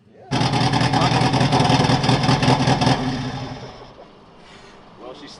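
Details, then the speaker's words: Subaru GC8 with a 2006 STI engine swap on first start after oil pressure was confirmed: it catches and runs loud with an uneven, stumbling beat, sounding like a misfire, then dies; cause not confirmed. "Um Sounds like it's misfiring."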